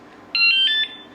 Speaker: seconds or when that goes off so that went off it's armed I'm going to touch it that's like uncomfortable loud you guys might not be picking it up but also I feel like that was like the warning did you hear that like that first like was kind of like uh-uh like here